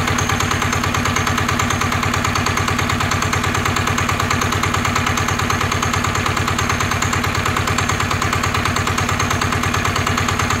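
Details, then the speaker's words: NF19 single-cylinder diesel, original and unmodified: steady even rapid thumping with no misses or knock; strong, healthy, vibration-free running. "anh em thấy đặc biệt của dòng cá này anh em nó gì chưa là nó không có rung nó không có lắc luôn á"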